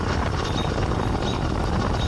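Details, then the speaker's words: BikeBerry 100cc V2 two-stroke motorized bicycle engine on an F-Zero, freshly swapped in and ridden under steady throttle. Busy, slightly uneven buzz, since new engines sound rough before smoothing out with riding. New engine running rough before break-in. "if you can hear it new engines they sound rough and start to smooth out again"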